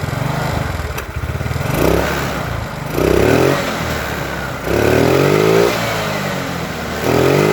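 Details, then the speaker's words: Yamaha Mio with new carburetor and size 38 jet refitted, after fixing stalling: repeated full-throttle blips pick up cleanly and settle back, no stutter; throttle feels slightly heavy but full throttle smooth; normal running and revving. "Oke, motor ini kan sudah nyala. Jadi kalau kita urut gasnya itu agak berat ya, agak radu berat tapi gas full enak gak ada merebetnya."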